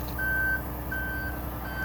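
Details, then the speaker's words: Aerial 498 fire apparatus, outriggers-on switch at the access panel while deploying outriggers: steady high single-tone warning beeps, about a third of a second each, repeating roughly every 0.7 seconds over diesel idle, aerial PTO engaged. "You come to the access panel and you come to the switch which says outriggers on. You'll hear the beeping. This operates your left outriggers, so you'll bring it out."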